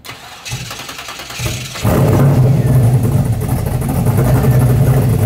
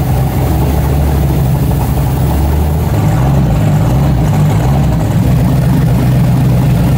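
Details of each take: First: 1970.5 Chevrolet Camaro Z/28, LS6 V8 with FuelTech FT550 EFI, on hub dyno after ignition timing corrected about 20 degrees: brief cranking, then catches cleanly and settles into strong, steady idle with no stumble; normal start. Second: 1970.5 Camaro Z/28 drag car (7.50 Index), LS6 V8 on FT550 EFI, TPS-based tune, wasted spark, on hub dyno; deep, lumpy, stumbling note; timing found about 20° off, fixed by adding 20°; rough running from retarded timing.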